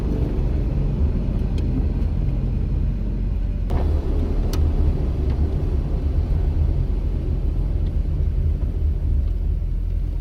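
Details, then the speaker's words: VW Rabbit, chassis at 270,000 miles, on a rainy test drive after a wheel bearing/spindle replacement, wipers off and coasting off throttle. Only a steady low road rumble, with no plane-like droning roar; the bearings sound healthy. "you might already notice a difference even with the sound of the wipers but it's even easier to tell when i shut off the wipers and let up on the throttle"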